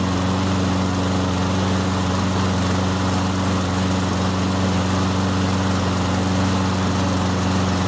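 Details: Toro Recycler 22-inch push mower with 190cc Briggs & Stratton engine, after Power Foam carburetor cleaning and refitting the air filter: a smooth, even drone with a steady low hum and no misses or surging. The engine runs properly.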